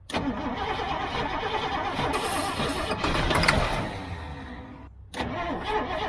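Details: Old GMC gasoline bucket truck with Holley carburetor issues, no gas pedal, throttle feathered and choke worked by hand: starter churns the engine at a steady rhythm with no catch; cranks but won't fire. Fuel is reaching the filter; cause unconfirmed.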